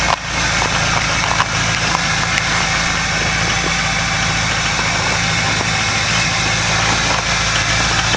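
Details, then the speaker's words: Ford 6.0 Powerstroke diesel cold start without block heater, after glow plug cycle: steady low drone with sharp, even clatter on top, no misses or knocks; normal cold injector noise, high idle mode recommended. "That's normal. Just atomize fuel."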